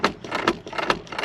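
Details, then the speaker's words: Rear door latch on a Mk2 Jetta, heard from behind the pulled door seal while picking it open: short clicks and a pop as the latch catches then snaps free; sticking door latch, owner doubts the latch itself is at fault. "it's like it's kind of catching right here, then kind of popping off."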